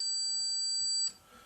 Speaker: I'm going to set it for tone. If I take these 2 leads and put them together, you'll hear a tone coming from the meter.